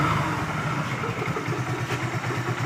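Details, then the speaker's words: Hero Glamour single-cylinder bike, about 400–500 km after another mechanic's full engine rebuild. At idle a low, steady rumble carries a light metallic rattle that changes when the clutch lever is released. "इस type का sound ए रहा है engine से और देखिए दोस्तों मैं clutch छोड़ रहा हूं अभी साउंड ए जाएगा"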